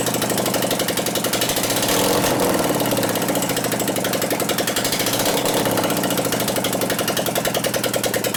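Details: 2001 Gilroy Indian Chief V-twin race bike rebuild, running with no exhaust pipes: lopsided, lumpy chuffing as if one cylinder barely fires; a dead cylinder from ignition is suspected, not confirmed, and it ran poorly before too.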